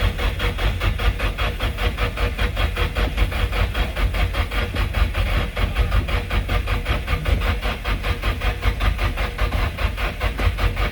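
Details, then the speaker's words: Nissan 240SX S14 SR20DET, first crank after rebuild, jumped from another battery (battery reading low, ~10.4 V): steady, slowish rhythmic cranking with a couple of putts but no start; two injectors found not fully plugged in, suspected cause. "yeah a couple of putts yeah but no dice now these two injectors were not fully plugged in so that could definitely be something"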